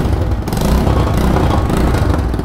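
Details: Single-cylinder motorcycle at idle: a quick, sharp bat-bat puffing over the engine, steady with idle, from an exhaust leak at the port gasket at the cylinder head; fix starts by removing the silencer pipe's two nuts at the engine.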